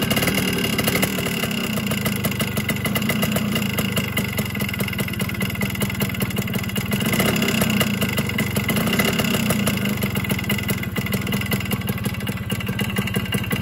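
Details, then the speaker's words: Old Yamaha RX100 two-stroke engine at a steady, even idle with its usual mechanical chatter and no out-of-rhythm knocking. This is normal noise for an aging engine and cannot be fully eliminated. "तो दोस्तों, जैसा आपने सुन लिया होगा, ये जो आवाज़ कर रहा है ये नॉर्मल आवाज़ है। इतनी ये करेगा ही करेगा, क्योंकि ये थोड़ा पुराना हो गया है इंजन,"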